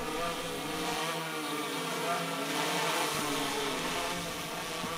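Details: Pixhawk hexacopter in flight, motor five (front left) cut via an Arduino intercepting the ESC signal: steady multi-rotor buzz whose low drone suddenly drops away and shifts pitch as one motor quits while it keeps flying; motor failure test.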